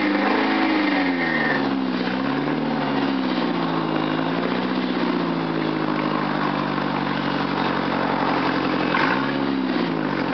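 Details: 1995 Ford Escort LX petrol engine idling and revving with a loud, raspy puffing exhaust note from an exhaust leak.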